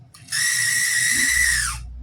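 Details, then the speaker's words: $10 Tyco HO scale model train engine running with a loud, steady high-pitched squeal that slides down as it slows; motor squeal, cause not yet investigated. "I mean, at least it runs, but it sounds like it's committing unalive. Like, it sounds like it just wants to die."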